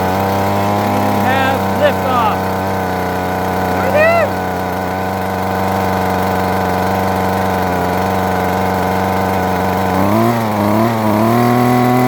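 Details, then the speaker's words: Husqvarna 128LD string trimmer, cold start on half choke after replacing six-year-old fuel lines and filter: small two-stroke holds a steady, even buzz with a slight rev change near the end, no stumbling; running normally. "oh yeah that sounded really nice half choke cold start"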